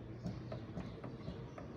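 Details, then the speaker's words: Fiat Palio front suspension worked, hollow regular clunks about four times a second that persisted after replacing ball joints, tie rod ends, joints and control-arm bushings; burst strut top mount, also installed incorrectly. "ó co estourado e detalhe vi a porca não está afogada aqui de fato que o próprio coxim tá com defeito"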